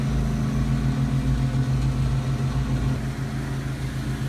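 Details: AC condenser after repairing a pinhole refrigerant leak rubbed by the run wire and recharging (TXV system, about 17–18° superheat, 14° subcooling): steady fan and compressor drone with no rattles or hissing. Normal running after repair.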